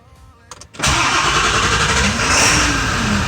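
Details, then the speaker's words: 7.3L Powerstroke diesel after fuel filter replacement and priming by cycling key on, in neutral, brake applied: brief cranking, then catches at once and settles into steady even clatter with no stumbling; normal start, no leaks. "Here we go. She fired it up."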